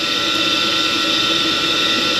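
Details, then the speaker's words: Carrier furnace after circuit board replacement for no heat: draft inducer motor gives steady high whir with hard-edged tone and faint rough rasp; sounds like it's going bad, not confirmed. "I don't like the way that motor sounded I'm gonna have to do a little bit of investigating on that that motor almost sounds like it's going bad"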